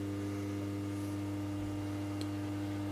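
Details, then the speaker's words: Steady low electrical buzz with no rotating rhythm or airflow from the cooling fan motor of an HP 8901B modulation analyzer, locked up, after power supply repair cured the display flickering; seized cooling fan motor buzzing. "well the flickering is gone away the buzzing's the fan cuz I got it locked up"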